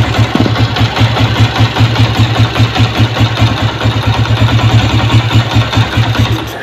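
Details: Honda CG 125 Euro 2, air leaking through the intake rubber: rough, uneven single-cylinder idle with hunting pulses that fade out as it stalls when throttle is released; engine surging and stalling from intake air leak.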